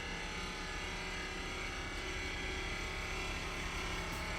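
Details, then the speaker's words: Furrion 12 V refrigerator in a Grand Design Imagine travel trailer; its compressor motor runs with an awful, much-too-loud droning hum and rough buzz, coming from down low; loud compressor motor noise, needs replacement as no repair exists. "cuz it does sounds like the motor it doesn't sound like it sounds like it's coming from down there"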